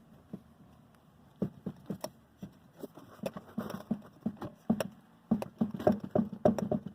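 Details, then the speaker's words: Chevrolet Spin front suspension, car on stands with a jack under the wheel: dull, uneven knocks as the strut is worked, showing large play, probably a faulty strut top mount. "Tem uma folga aqui. E é grande, não é pequena. Agora imagine isso daqui passando num buraco, numa valeta, com a suspensão ativada. Esse barulho fica bem alto, certo?"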